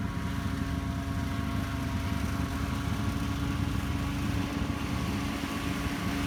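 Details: 1949 Ford 8N tractor, engine freshly rebuilt over 10 weeks, test run; steady, even low putter with constant hum on top, no misses or knocking; normal running.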